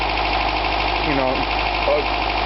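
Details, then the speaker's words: 1982 Toyota pickup 22R idling with the water pump belt removed; rattle previously blamed on timing chain disappears, so owner is almost certain the water pump is bad: smooth even idle hum, no ticking or rattling; normal idle. "I'll turn it on you and the noise is gone that noise had always made it when it that sounds like melty now it just sounds like you're normal 22 our engine"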